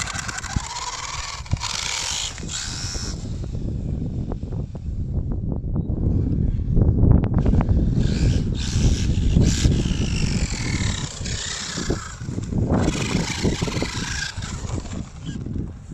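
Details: Rebuilt RC truck with new motor, ESC, shocks, running on a temporary bodged spur gear: sharp irregular clicks about four a second from a badly meshed spur gear skipping teeth; proper Traxxas center-diff spur to replace it.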